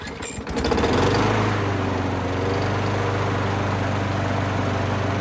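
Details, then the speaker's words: Craftsman lawnmower with a Briggs & Stratton autochoke engine, just fitted with a new aftermarket HIPA carburetor: it starts on the very first pull and settles into a steady, even single-cylinder putter with no misses or surging, running healthy. "i didn't pull the cord off camera and nothing beforehand that was genuinely my first pull with this thing and it starts right up"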